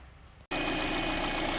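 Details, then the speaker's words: Kia Soul with a used engine from a wreck, just installed along with the transmission, refilled with a 50/50 coolant-water mix and idling while the cooling system is burped: steady, even idle, no misses or knocks; runs normally. "there we go it's running I'm burping it out"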